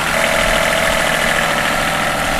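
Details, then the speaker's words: Sailing catamaran's diesel generator after the fuel injection lines to the injection pump were worked on: steady clatter, still running after 1 min 23 s with no sag or stalling, where before it kept dying; it runs normally but is not yet charging. "all holy still running yeah it's been a minute and 23 seconds"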